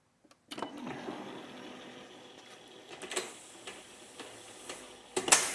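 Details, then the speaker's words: New 8-foot Minn Kota Talon, removed from boat, after silicone lubrication to fix squeal heard on the lake; soft clicks and light mechanical whir on deployment with no squeak; quiet deployment after fix. "there you go no squeak"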